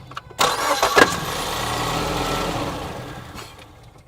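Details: 2014 Ford Escape 1.6 L, intermittent noise during cranking, microphone set down in the car; short crank with a brief metallic clack near catch, then idles; vibration traced to front engine cover, loudest at the engine mount.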